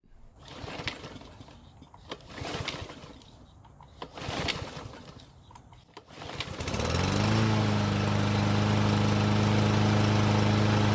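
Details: Lawn mower unused for a while that wouldn't start, mainly due to bad fuel: after a few pull attempts it catches and settles into a steady, even drone; running normally.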